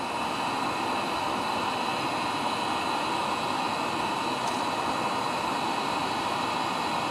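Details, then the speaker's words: Webasto diesel heater from a Peugeot 806 HDi, used as central-heating boiler in a bus-camper conversion, restarted after dismantling, degreasing the oily heat body and cleaning the glow plug: steady even roar, no surging, warming up well, running normally. "et là on a remis en route et fait pas le même bruit et l'ail là il envoie du steak là ils envoient ouais là ça commence à bien bien bien être chaud"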